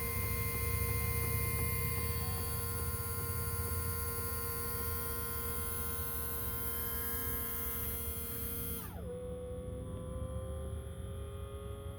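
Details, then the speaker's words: Diesel truck after a fuel filter replacement, heard standing next to the fuel tank with the key held in the on position: steady electric hum with a faint whine that steps down near the end as the lift pump refills the filter bowl; normal priming. "So if you stand right there next to the fuel tank, you'll hear it. What you'll do is you'll turn your key to the on position and leave it there for a couple of seconds."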